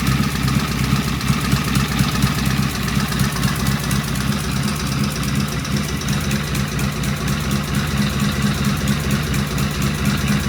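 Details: Vintage British motorcycle on its first start, a known runner with carburetors tickled, primary open, and pseudo-Dunstall mufflers: a strong, even thump at steady idle with no knocks or rattles. It sounds healthy and settled.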